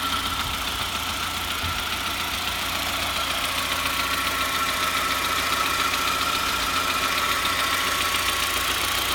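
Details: SAAB 9000 2.3T, warm, idles with a fairly regular light ticking knock about three or four a second over a steady hum; it runs fine cold, knocks only when warm and harder with revs; valvetrain noise or rod knock suspected.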